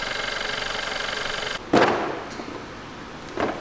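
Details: VW Golf 6 1.4 TSI petrol four that had strange start-up noises, heard after repair: a short stretch of even, quick idle pulsing with no chain rattle before handling knocks; the idle sounds healthy.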